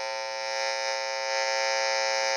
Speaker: could see because this is not shielded you can actually if you have other sensitive line inputs let's say coming from your phone or stage really close to a power cable like this you're gonna probably get some noise coming from it